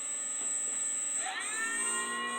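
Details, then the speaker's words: 3D-printed axial flux BLDC motor, 8 magnets, 6 coils, first run on sensorless Hobby King controller, Hall sensors unconnected: thin whine sweeps up then holds a steady high tone; runs smoothly with more torque than the 4-magnet, 3-coil motor. "Okay, this is first run. Vicious little thing, isn't it? Oh, definitely more torque than that other one."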